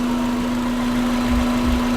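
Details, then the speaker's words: Volkswagen Vanagon with Subaru EJ20 engine swap at true idle, about 800 rpm on a possibly inaccurate gauge, sounding lower: low, steady, even drone with no stumble or knock; not rough, though the belt is loose. "true idle, and it looks like we're at about 800. And that's from the gauge, so I don't know how accurate that gauge is. It actually sounds lower than 800. It doesn't feel rough at all."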